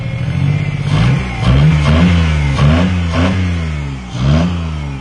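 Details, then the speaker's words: Car recovered from no-start, missing spark: engine surges and hangs at high revs instead of returning to idle because the throttle cable is sticking badly; otherwise runs well. "all right well there we go runs like a champ yeah we need some um scott do you have any wd-40 or something um your your throttle cable is sticking really bad"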